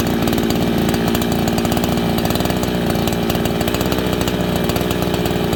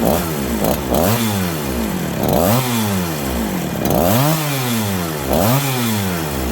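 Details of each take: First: Farmertec 288 kitsaw, fresh unbroken-in build, end of first tank, cutting green ash without wedging; strong even two-stroke howl at steady rpm, clean firing, no misses or rattles; normal running. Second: Farmertec 288 kit chainsaw, after an earlier flywheel came off: revs rise and sag every couple of seconds, it won't idle or take throttle even on choke/fast idle. Hunting and bogging; massive air leak suspected.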